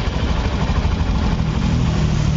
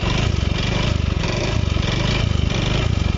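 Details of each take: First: Honda Beat eco scooter after repair of a noisy engine, with the valve area now quiet: soft, even, low idle putter with no knocking or rattling, back to normal like new. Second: Honda Beat Eco (digital) scooter at fast idle: an uneven, rattly pulse over the exhaust beat. The noise is mild at idle, and its source (engine front, middle or CVT area) is not yet pinned down.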